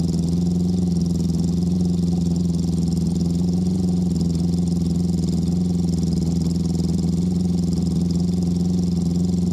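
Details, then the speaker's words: Honda CB650 after installing Ricks Motorsports CDI units to fix a cylinder 3 misfire, running hot: a steady, even low drone with no dropouts; all four cylinders fire, so the CDI was the issue. "And number 3 was the one that wasn't firing. Oh yeah, she's hot now. Yeah, it's firing."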